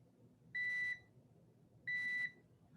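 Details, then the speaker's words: No-name multimeter on its continuity/diode setting with both probes touched together: two clean, high-pitched beeps of about a third of a second each in a quiet room, confirming a short, as used to find shorts. "This is a useful setting if you're trying to find shorts. What you can do is you can connect both of the pins together."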